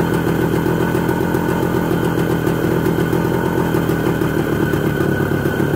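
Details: ČZ 125 type 453 motorcycle, first start after engine overhaul: steady even two-stroke burble with crisp regular beat at idle, no knocks or misses, running cleanly.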